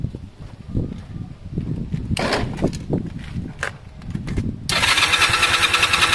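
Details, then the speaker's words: Honda CB250 motorcycle compression test, throttle held wide open, plugs disconnected: starter spins the engine quickly and evenly with soft compression pulses, no firing; reading about 60 against over 150 expected, low compression. "so that ceiling huh it's at about 60"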